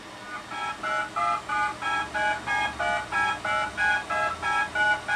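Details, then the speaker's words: Lo8 8-track tape backup drive built from an old 8-track stereo and a SCSI tape drive, heard through the stereo's RCA outputs: regular two-tone DTMF beeps, about three a second, different codes on left and right tracks, read from tape. "encode so that's left and right stereo tracks each with a different DTMF code um doing less than four bits a piece"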